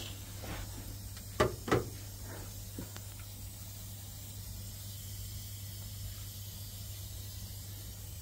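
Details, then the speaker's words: HGV on breakdown call, heard near the rear axle: a steady high hiss under a low hum with a couple of brief early knocks, compressed air escaping; suspected airbag or brake chamber, and the brake chamber checked good. "I could hear the air leak around the rear axle can you hear it I can oh it could be an airbag or it could be a brake chamber"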